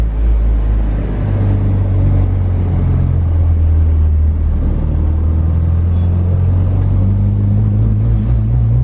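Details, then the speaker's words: Junkyard Integra with swapped Honda K-series engine and base map, power steering removed, on a drive around the block: low, even rumble rising gently with speed in third gear, fairly quiet, no whine or knock; healthy cruise. "Not shabby. It's actually pretty quiet, and you're in third too."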